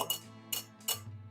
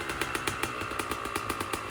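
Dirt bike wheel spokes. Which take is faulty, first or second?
first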